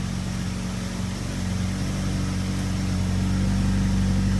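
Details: 2007 Ford Focus after replacement of its roughly 13-year-old, stuck valve cover gasket, with oil burning off in a smoke cloud: smooth, even low idle with a steady hum and no knocks or misses; it is running well.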